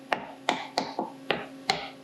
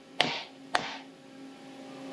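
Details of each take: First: Seven sharp, clean taps in about two seconds on a titanium plate being faced to .375 in, after the clamps were snugged a bit more. Each rings solid with no rattle, so the plate is tight against the fixture, unlike the earlier hollow sound. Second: Three sharp hammer taps on a titanium plate being faced from .800 to .375 in on a milling fixture, with clamps lightly tightened. Each tap rings hollow with a lingering tone, showing the plate's end has a small gap and is not fully seated, a possible chatter risk.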